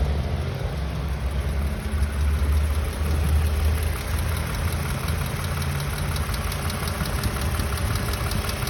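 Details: 2016 Toyota Camry XLE 3.5 V6 2GR-FE, about 60,000 miles, water pump recently replaced, at operating temperature: steady idle with fine fast top-end ticking that began around 45,000 miles and grew louder; mechanics unsure of source.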